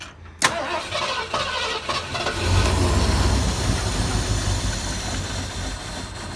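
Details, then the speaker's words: 1973 Ford Econoline with a 302 V8 and two-barrel carb, parked for 7+ years, fed gas directly with the fuel line disconnected; a click, short crank, then a steady low rumble without knocks or misses as oil circulates. "overall that sounds pretty good just trying to get oil up to everything that's pretty cool"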